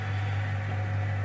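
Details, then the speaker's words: Crown Lapidary 3lb single-barrel rock tumbler with 24V motor on a power brick and rubber barrel: low, even, quiet electric hum with no knocking or grinding, running smoothly as normal. "So now if we turn him on, you can hear nice, quiet, smooth."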